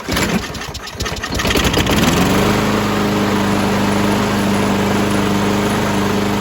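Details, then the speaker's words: Craftsman 917.37651 mower, B&S 6.75 Quantum engine with new HIPA carburetor, cold day: after tightening loose back-plate bolts so the primer works, a few pulls then fires and settles into a steady, even drone; runs properly. "After rectifying that, it seems to work fine now and it primes."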